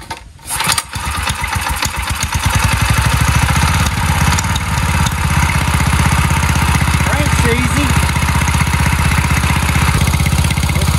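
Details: Predator 212cc single-cylinder engine swapped into a Chinese mini ATV, first test run with choke: catches after a brief crank and settles into a steady, even putt-putt with no knocks or misses; healthy.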